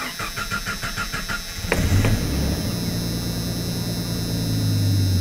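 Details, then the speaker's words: 1990 Jeep Comanche, ballast resistor unplugged: under two seconds of even cranking, then catches and runs; fuel pump is powered from the starter relay only during crank and loses power in run position, so it stalls. "So why would we get power during a crank and the power go away after the vehicle started? Well, it has to do with how this system is wired. During a crank, the fuel pump gets its power directly from the starter relay."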